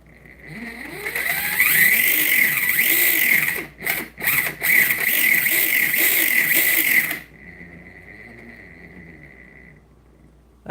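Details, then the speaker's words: Axial Bomber RC crawler with FOC motor, gear mesh retested after adjusting and tightening the mount: loud shrill whine swelling with motor speed, rough edge; silent slow, but mesh still slightly too tight. "pretty close. Wow, that FOC is pretty gnarly. I think we're still a little too close."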